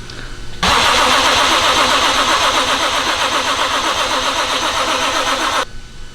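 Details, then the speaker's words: BMW with JZ engine swap, first start on old ethanol fuel, cold at about 80°F, after priming oil pressure: five seconds of steady fast cranking that never fires; crank no start, owner suspects cold ethanol needing more fuel. "oh you know what it's on ethanol I hate starting engines for the first time ethanol cuz it's such a pain cuz when the engine's cold at we'll say 80° right now it requires a lot of fuel"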